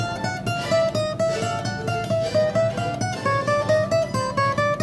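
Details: Guitar after leveling and crowning a high fret: plucked notes ring clean and sustain evenly with no buzz or rattle; fretwork sound.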